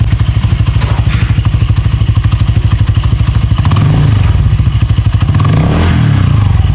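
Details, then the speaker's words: Honda Click 160 scooter with direct dry clutch, fitted with PZ Tech CVT cover after the clutch housing overheated: loud steady clatter, about three knocks a second over engine drone as rear wheel spins; normal dry clutch noise, which gets dirty easily and suffers in rain. "So medyo ingay lang to. So yung disadvantage ito, tawag dito, pagka maulan tsaka madaling dumumi."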